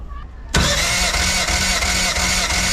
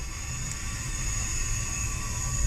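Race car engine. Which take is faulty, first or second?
second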